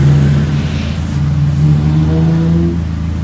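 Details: Peugeot 206 that stumbled under throttle, after engine wiring harness repair; engine revs up cleanly and holds a smooth, even note with no stumble or popping; pulls strong and healthy.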